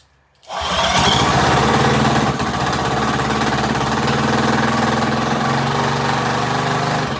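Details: Rebuilt Predator 212 single-cylinder engine with Mikuni carburetor, first start: fires up at once and settles into a steady, even putter with no misses or knocks; smoke was only pre-lube oil on the piston burning off, runs good.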